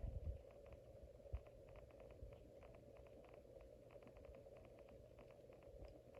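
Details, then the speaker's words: Casablanca 19th Century ceiling fan at speed four: a steady mid-pitched motor hum, amplified because the motor and blades mount metal to metal with no rubber; the bearings are possibly wearing, with faint clicking. "Since there is no rubber of any kind in between the motor and the blades and all that, it's nothing but metal to metal. So when you change the speeds and when the motor runs, it's really amplified."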